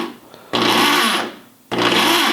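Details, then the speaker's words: Ridgid R3002 orbital reciprocating saw, opened for teardown: two short bursts of high-speed motor whir with a harsh, gritty rattle from the broken crown gear turning. "broken gear in motion"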